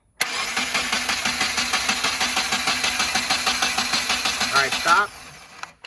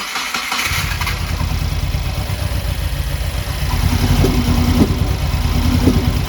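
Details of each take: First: Rebuilt Subaru FA20DIT during compression test on the driver-side bank, cylinder two: steady, even cranking at about three pulses a second for five seconds; about 149 versus 140 on the other side, within the 10% allowed. Normal cranking. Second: Subaru WRX FA20DIT engine just after rebuild, tune loaded: cranks with rough uneven rumble and sharp pops about once a second, never catching; backfiring through the intake rather than exhaust.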